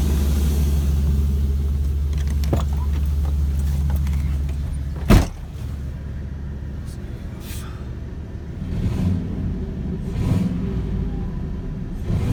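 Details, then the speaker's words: 2000 Chevrolet Silverado 1500, 5.3L LS, at idle just after installing Hooker 8510 cast turbo manifolds, crossover and fender-exit hot side; wastegate fitted, boost line and charge piping not yet done. Deep, even V8 rumble with no manifold ticking or puffing. Surprisingly quiet, normal idle. "it's not even that loud I'm fairly surprised for a second here"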